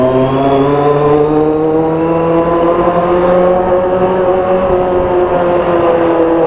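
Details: Kawasaki Z750 four-cylinder motorcycle while riding: the engine pulls steadily with a whiny, slightly rising tone over the exhaust. The rider hears a strange noise but its source is undetermined.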